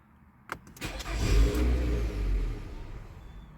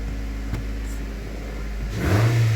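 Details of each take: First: 2014 Nissan Altima 2.5, check engine light with code P0011, stalls right after start-up. Brief crank, engine catches and revs, then speed sags and it dies within about three seconds. Stalling after start. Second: 2014 Nissan Altima 2.5 with P0011 stalling and low power, after repair: steady low hum, then a quick clean, strong rev rise with snappy throttle, no more stalling and a higher idle; running normally.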